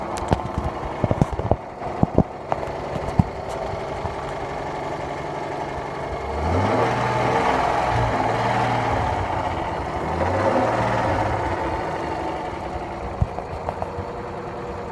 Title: Engine knock